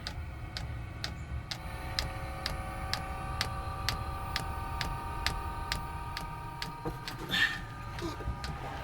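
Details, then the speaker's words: Van-mounted Chinese diesel heater's dosing pump under the van, drawing fuel from a tank at the front of the vehicle: crisp, evenly spaced ticks about twice a second; fuel pump metering normally. "so that's the pump there and it's pumping all the way from the front of the vehicle where I've got the tank"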